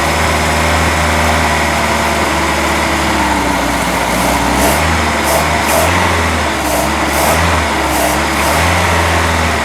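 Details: Boat engine just fitted with a new manifold, run on earmuffs with water pumping: uneven lumpy idle with pitch wandering and surging every second or so; ignition timing off and carburetor needs rebuilding, oil still free of water.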